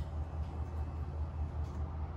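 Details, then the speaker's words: Honda Foreman 520 fuel-injected ATV after fuel pump replacement for stalling when throttled: key-on low, even hum with a steady pulse, no stutter or rising whine, fuel pump priming normally. "I heard it come on and it should fire up there's nothing's wrong with [Music] it"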